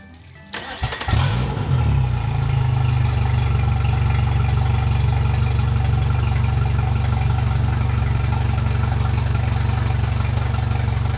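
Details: Mercury Pro XS 115hp 2.1L outboard on a Mako 18LTS after a 100-hour service with new fluids, impeller, fuel filter, plugs and thermostat. Key cycled to prime, then a 5–10 s first start: starter whirr, then a smooth, even idle with no knocks or misses.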